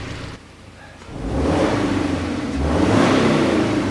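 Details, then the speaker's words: Subaru Forester being revved: revs rise to a rough, breathy roar with a choked, restricted edge; no exhaust leak found, so mechanic suspects a clogged catalytic converter or an internal engine cause, not confirmed. "It sounds kind of like an exhaust leak, but it sounds also like a clogged catalytic converter too. Let me add some RPM to it."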